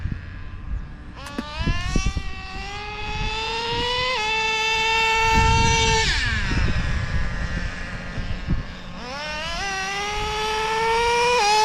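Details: Used Traxxas Slayer Pro nitro RC engine after the low-speed needle was richened: a sharp high scream climbing with each throttle burst, slightly soft and blubbery at the top. Owner thinks the top end is a little rich.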